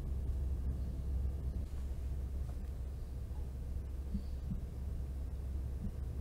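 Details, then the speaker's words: Xbox Series X, microphone held close to the rear hot-air vent with gain at maximum and no noise filter: only a soft, steady low hum from the slow cooling fan, no coil whine. "mas realmente da distância que eu tô aqui não estou ouvindo nenhum ruído"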